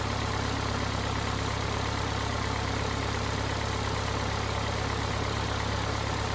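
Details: Cummins 4BT diesel in a Power Wagon, first run since 2015, new filters, temporary battery, 8 psi fuel pressure, not hot; steady even idle clatter with firm low rumble, no misses or odd knocks: normal healthy idle.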